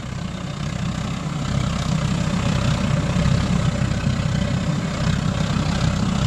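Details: Homemade pot belly stove with a gravity-fed waste-oil burner and small blower, turned down to a more practical setting: steady, even low roar with no surging or sputter; normal burner operation.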